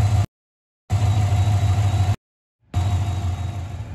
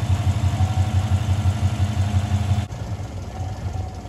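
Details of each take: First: 2015 Chevy Silverado 5.3L after high-pressure fuel pump replacement for failed seal causing rich codes P0175/P0172, oil changed: catches and settles into deep even idle with steady low hum, no stumbling; normal start and idle. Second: 2015 Chevy Silverado 5.3L V8, about 175,000 miles, fuel pump fuse removed before high-pressure fuel pump replacement: engine catches, runs briefly, then fades and stalls as fuel supply is cut.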